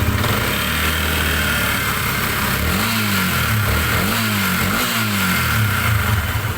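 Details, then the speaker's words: Sniper 150 single-cylinder after rebuild (timing chain, rocker arm, water seal, bearings, piston, block replaced), first start: revs cleanly through quick blips and settles to steady idle, quieter, no knocks; normal revving. "Ayan oh. Mas tumahik. So yan nadali na natin mga bossing. Ayan oh naman normal na RM"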